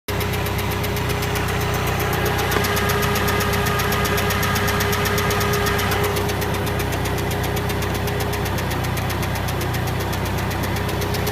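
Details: K100RT at idle with quick, fairly steady ticking about four per second over an even hum; engine ticking noise, cause unclear.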